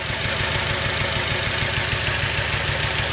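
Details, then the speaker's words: 2006 Acura TSX at idle, coils about to be unplugged one at a time to find the bad cylinder: uneven idle with a regular stumble and chuff about every half second. Misfire. "I'm going to disconnect these one at a time. Listen for the sound of the engine to go down if it's a good one. See how it went down like that?"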